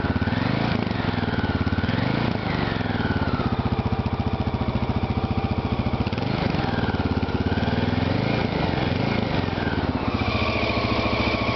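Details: Honda XL600R single-cylinder engine, first start after a rebuild: steady, even thump with a few light throttle blips and no knocks or rattles; clean, healthy-running engine.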